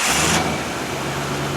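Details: 1968 Ford Bronco 289 V8, 46K miles, started after replacing spark plugs last changed around 1996: catches quickly and settles into an even steady idle with no misses or knocks; running properly.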